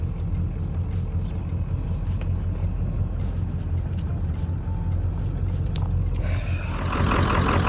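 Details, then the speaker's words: Ford F250 7.3L Powerstroke diesel, stranded roadside, cooling system and oil cooler new 400 miles ago; oil in coolant, coolant in oil, low oil, slight miss at speed; deep lumpy uneven idle, owner hopes it was fuel starvation from backing up a hill; rough idle. "Unlock. That sounds a little lumpy still. Let's see if that clears up on the road."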